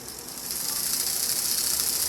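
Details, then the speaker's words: Rebuilt 1980s Bachmann HO scale U36B pancake motor running out of its shell after the cracked gear was cleaned and the lube spread out. A steady, smooth, fairly quiet high-pitched whir with little rattle; the gear drive runs normally. "Not so much rattling anymore. Now that we've cleaned it out, our gear repair sounding fairly good. That ain't bad at all. That's much quieter."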